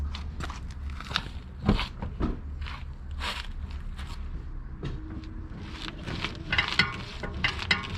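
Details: BMW E60: irregular dry creaks and crackles from the steering as the wheel turns, engine humming low; camera placed on the driver's side; cause unknown.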